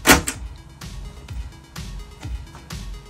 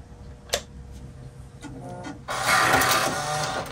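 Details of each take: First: Mac Plus 800K floppy drive after service and replacement gear kit, booted to System 7.1: clean thunk as the disk loads, then short, even head-stepping clicks and a light whir; the drive reads normally. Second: Mac Plus 800K floppy drive ejecting a disk: very noisy, harsh grinding for over a second and lagging before the disk pops out, from broken eject gear teeth; to be lubricated and fitted with a replacement gear kit.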